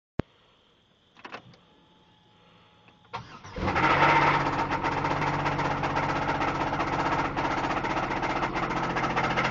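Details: 2004 Grand Prix GTP with top-swapped, XP-cammed L26 V6, 1000 km on the setup: a few clicks, then it cranks, catches and settles into a rough idle with a steady knock; spun bearing suspected.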